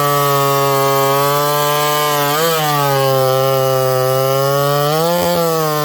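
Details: Ported Homelite 922 chainsaw after clutch and fuel line repair and cooler heat-range plug, cutting very hard wood: crisp two-stroke scream sagging briefly as the chain bites, then recovering cleanly; normal, strong-running cut.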